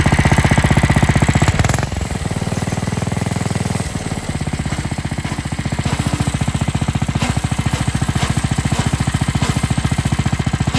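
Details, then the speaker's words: New Coleman RTK100 (CK100) 100cc go-kart, throttle lever worked by hand: engine revs, then bogs out under foot resistance with gritty grinding from a centrifugal clutch not lubricated at the factory; fix is lubricating the clutch. "as you can see i wasn't applying any thing to the accelerator at first i was i was manually controlling the the throttle control lever and eventually bogged out when i started putting some resistance on it with my foot"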